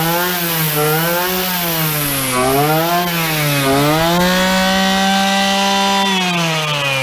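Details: Two-stroke petrol trimmer that would not start, after the carburetor was removed, a spark check (the suspected culprit) and priming. Warming up, the buzz wavers with the throttle, then holds a steady high whine. It runs cleanly.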